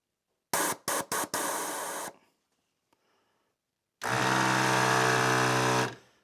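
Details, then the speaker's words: 1996 Harley-Davidson Electra Glide Classic, newly installed rear air shock compressor before final fastening. Buzzing bursts, then a steady motor drone; a not-yet-fastened bracket rattles against the connectors. Compressor running with loose bracket rattle. "That's just a bracket vibrating on the on the connectors. I didn't fasten yet."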